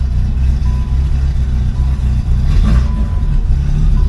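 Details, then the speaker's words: Yugo after DIY exhaust, check-engine fix, and valves adjusted and shimmed: revs climb and drop cleanly with a steady, even note and the typical tick of the old Bosch injectors, exhaust slightly deep; normal revving. "Those old Bosch injectors have such a tick. I adjusted the valves, shimmed it properly. Sounds really good. Exhaust sounds good too."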